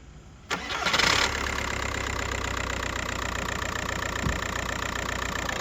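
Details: VW MK4 Golf TDI diesel after replacing a bouncing accessory belt tensioner (set to 25 Nm) and reinstalling the serpentine belt: engine cranks, catches and settles into a steady, even idle with no belt squeal or chirp.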